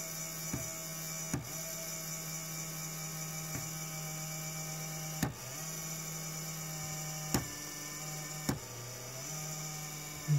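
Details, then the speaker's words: New Creality Ender 3 hot end fan: buzzy whine with vibration from startup, pitch and speed jumping when tapped, running smoothly only after almost a minute of tapping; failing cooling fan. "the fan on the hot end of the new ender 3 I'm gonna turn it on and you'll hear it so you hear that vibration starts up almost right away if I tap on it changes pitch"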